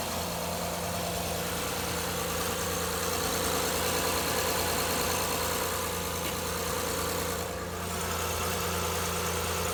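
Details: 2011 Honda Accord 3.5L petrol V6 idling smoothly and evenly, no knock or tapping over the steady hum; normal idle, after fixing a loud knocking noise by replacing the timing belt tensioner.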